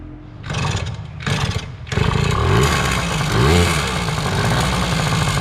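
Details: 2000 Yamaha PW80 two-stroke after swapping a leaking Chinese knock-off carb for a genuine Mikuni 21W-14101-01 at factory settings, oil line replaced: a couple of kicks, choke then off, catches into a crisp burble with clean blips; normal running.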